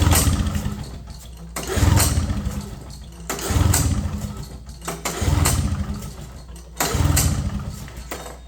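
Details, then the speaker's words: 1970 Polaris Mustang two-stroke snowmobile not started in 10 years, possibly flooded, plugs found wet. Repeated pull-start bursts about every 1.5 seconds turn it over, but it never catches. "all right let's give it a better Prime maybe I floated it plugs were wet I just pulled them out"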